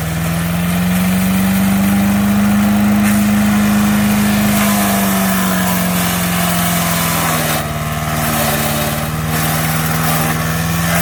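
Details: MTD 5 HP chipper/shredder, after a carburetor kit replaced the bad carb, chipping tree branches: steady single-cylinder drone sags a little as branches feed, then recovers; healthy and pulling the load.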